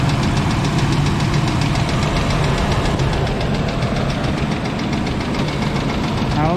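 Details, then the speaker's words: 1996 Chevy Blazer, running after a 300-mile trailer haul and first start for the owner, with a couple of light revs: a heavy knock taps about four times a second over a rough idle, deep in the engine. The owner suspects rod knock. "well I'm no expert and I have no idea what I'm doing sounds like a rod knock to me"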